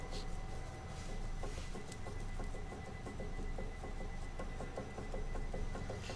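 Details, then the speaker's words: Nissan Kicks with a suspension noise complaint: quick light clunks in bursts as the body is rocked, traced to a worn sway bar link; the control arm bushings are also torn and due for replacement. "então o barulho na suspensão é bieleta vamos ver se eu consigo fazer aqui o barulho ó"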